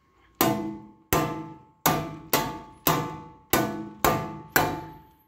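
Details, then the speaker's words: Bare sheet-metal test panel struck by hand without sound deadener: eight sharp strikes, each ringing with bell-like metallic tone that fades slowly, undamped panel resonance as in cars with audio but no insulation. "cuando nosotros ponemos el car audio si el vehículo no tiene insonorizante por la misma vibración va a pasar esto se escucha"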